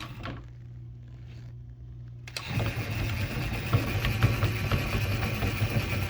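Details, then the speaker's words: Datsun 720 short 5-speed gearbox (fitted in a 510), clunked and vibrated in neutral, spun by drill with front and rear covers off: rough grinding rumble, knock about twice a second, shaft catching in one spot; out-of-round countershaft, suspected bad countershaft bearing. "It sounds terrible. It was making that noise with the front cover and the rear cover off."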